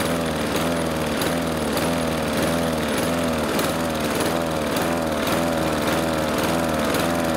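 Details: Husqvarna R 53SV self-propelled lawn mower: a small engine hunting, its pitch rising and falling about twice a second; owner suspects blocked carburettor jets and treats them with Sea Foam in the fuel.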